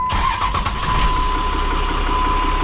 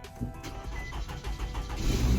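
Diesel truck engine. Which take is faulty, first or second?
first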